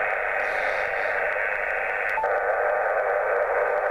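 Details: Jaycar MP3800 0–24 V switch-mode variable power supply running near an HF radio (857): a steady, loud hiss swamps the receiver with no signals breaking through, leaving 20 meters unusable; switch-mode supply interference.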